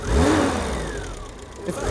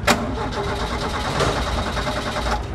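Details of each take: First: Dacia after tightening a loose earth point on the back of a box: engine catches promptly, revs cleanly and settles smoothly with no misfire. This earth caused the recurring problem since the journey began in Romania. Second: Dacia: the starter cranks in a steady rhythm but the engine never fires. This is a recurring intermittent no-start.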